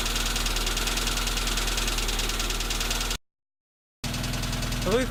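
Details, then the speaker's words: Tavria, MeMZ-245 engine rebuilt with Avtramat pistons, 1.2 crankshaft, cylinder 4 disabled at idle: sharp light tapping about four times a second grows louder; suspected piston pin knock in cylinder 4, louder on throttle release. "Отключение 4-го цилиндра. Стук усилился."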